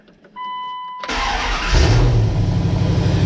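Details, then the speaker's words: Dodge Dakota R/T, first start of a freshly installed replacement 5.9L Magnum V8 from a crashed Durango R/T: warning chime, quick crank, catches into smooth, steady, even idle with no misses or knocks; normal start. "Ooh, listen to that. Finally. What do you think? That's great. Listen how mint it sounds. It sounds good."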